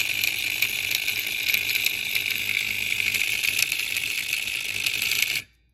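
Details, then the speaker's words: Classic Simplex vibrating fire alarm bell under bench power, coil pulling the hammer and opening the contacts in a repeated cycle: rapid, even buzzing rattle of the contacts with a bright high ring; normal bell operation. "a repeated process that this goes through uh therefore it gets to Bell to vibrate"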